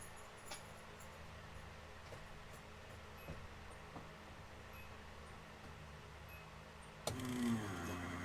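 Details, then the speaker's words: Nissan S13 240SX (KA24DET): a new Walbro 255 in-tank fuel pump, replacing a 6–7-year-old one, primes on test after install with a steady, loud buzzing hum, much louder than the old pump. "Okay, I hear the pump going. Thing's pretty loud. It's way louder than the last one."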